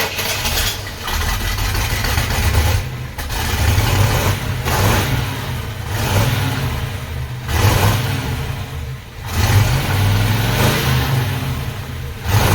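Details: 1968 Pontiac Ventura, original factory exhaust rotted and barely hanging on, filling the cab with fumes, before replacement with new pipes and a Thrush turbo muffler: repeated throttle blips give a harsh, raspy roar with ragged idle between; exhaust leak.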